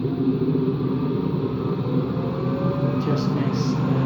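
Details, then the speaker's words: Washing machine running empty on a rinse-and-spin program: a steady low, rough growl under the spin drone with no knocking. The owner suspects bad motor bearings, though the drum is not loose; not confirmed. "Yeah, that sounds like bad bearings. Only that the drum, the bearing is not that bad, so the drum is not loose or anything, but"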